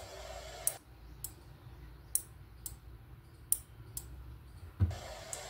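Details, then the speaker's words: 12V motor driven by an IR sensor through a relay, no Arduino: crisp single clicks about once a second over a quiet hum as the relay pulls in whenever an obstacle comes in front of the sensor; normal operation. "you can also hear the clicking sound of the relay when an obstacle comes in front of the a sensor the relay gets"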